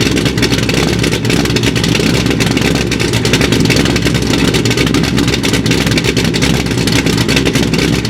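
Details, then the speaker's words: Corvette C6 Z06 first start after B3 cam and McLeod RXT twin-disc clutch install, with ported heads, FAST 102 intake, 65lb injectors, 1-7/8 headers, straight-pipe axle-back, E85 tune: deep, steady, lopey V8 rumble, no ticking; healthy, air-fuel close. "so so there you have it guys b3 cam install along with the rxdr twin disc clutch and it sounds it sounds good"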